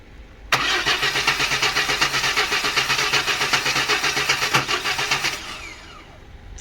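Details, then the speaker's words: Chevy S10 4.3L V6 crank no start: even starter cranking, about four compression beats a second for five seconds, cranking tone dropping, never fires; ignition timing off. "So I don't know if you're hearing it, when you're hearing it crank, it's going like down. So we know our little timing is off."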